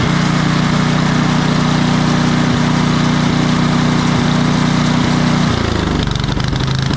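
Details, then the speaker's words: Craftsman 28-inch snowblower, Briggs & Stratton 11.5 hp Snow Series engine, after bad fuel cleaned out and new carburetor fitted (was surging, dying off choke): steady, even beat with no hunting or surging; running normally. "I'm just going to show you here the difference in running between what it was just doing and what it will do now that we've got it all cleaned out of that bad fuel got a new carburetor on it something that's going to give us a good running unit"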